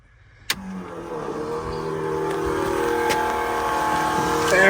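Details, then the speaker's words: LS-swapped Chevy S10, new Holley Black fuel pump on a 7.5 amp fuse, key on: click then a smooth steady electric whine building slightly, no rattle or surging; normal priming, no leaks and good fuel pressure. "Nope. All dry. Yeah. Sounds like it's good to go."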